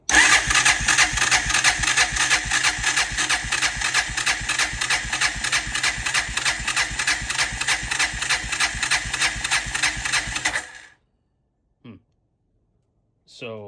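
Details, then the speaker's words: 1999 Honda Foreman 450S ATV, compression test with throttle wide open: even starter cranking about three beats a second for ten seconds, no firing; reads about 100 psi versus 120–150 spec, low compression, leaking valves or worn rings suspected. "This thing's stopping off at maybe 100. So maybe leaking valves and or rings are worn out."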